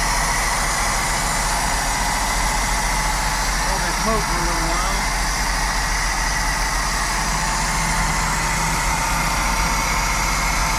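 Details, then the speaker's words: 1960 Cadillac Coupe de Ville V8, first start after being freed from decades stuck: rough, uneven running with light pinging that eases as it warms and settles. "fire in the hole ooo she ping like a kitten be less and less maybe yeah it's getting better"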